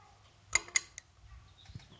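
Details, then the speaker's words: Honda CD185 left standing for a long time, with a seized piston sprayed with fluid while the barrels are jacked off using bolts: three sharp metallic clicks over near silence as the piston starts freeing while the barrel moves up. "So as I turn this now, you can hear the piston starting to"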